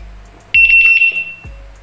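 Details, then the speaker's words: Wireless-remote bicycle alarm using its bell/horn function: a very loud, piercing high-pitched horn tone for about three-quarters of a second, then fading. Normal horn signal. "seperti itu ini sangat kencang sekali"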